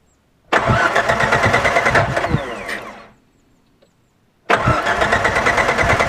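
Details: 1998 Jeep Wrangler TJ won't start, locking sound: steady rhythmic cranking that never catches, stops, then cranks again; cause later found to be the power plate under the distributor cap; crank no start.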